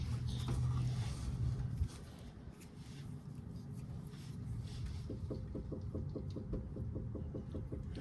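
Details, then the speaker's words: 2014 Chevrolet Equinox, front sway bar end link, mic held near it while the bar is rocked up and down by hand: sharp regular clicks about four a second from a worn end link. "so you could see I don't even need to move the end Linker sway bar very much and I can hear the clicking noise pretty [Music] prominently"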